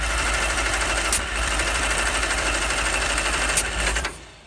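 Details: Banham Superbug kit car, first start attempt on a fresh battery after checking firing order 1-3-4-2 and finding the coil loose: starter spins the engine steadily for about four seconds, never firing; cranks but won't start.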